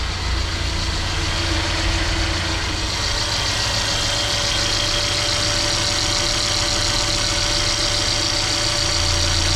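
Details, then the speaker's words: Mercedes GLA 200 after tensioner replacement, idling once the hydraulic lifters have bled; the car had been found with no oil. The earlier rough noise is gone, but a fast, uneven top-end tapping about three or four a second remains, suspected lifter noise from oil starvation. "so um the rough pairing noise is gone but we are getting a intermittent rough idling noise now on the um what you call these things the hydraulic lifters the lifters are making a noise inside the cylinder here which is over here on the top"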